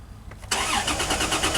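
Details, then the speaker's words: Dodge Dakota with crank sensor disconnected: starter spins the engine in quick even pulses but it never catches, as there is no spark or injection; sensor then reconnected during diagnosis of a running problem. "cranks I disconnected the crank sensor let's reconnect that start it up more variables plug everything back in clear the codes"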